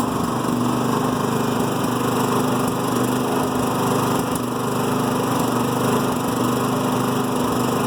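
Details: New Firman generator in Eco mode at low load: a light, uneven idle that hunts and stutters. This is a rough idle; the misfire or backfire reportedly eases out of Eco mode or under load, and the owner is unsure whether it is normal.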